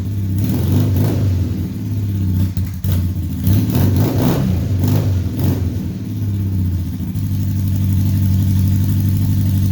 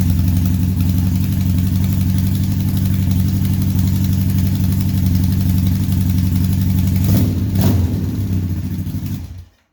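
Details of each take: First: 1978 Honda Hawk cafe racer build with automatic transmission, new exhaust after reseating an off-centre header on its copper compression ring: engine blips and settles to steady idle, no popping, hissing or spitting; exhaust leak fixed, normal running. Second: 1978 Honda Hawk cafe racer build with automatic transmission, steady idle after exhaust fabrication; faint uneven puffing tick about four per second on a good-toned exhaust note. Small exhaust leak at the header, later found to be the header seated off-centre in the head.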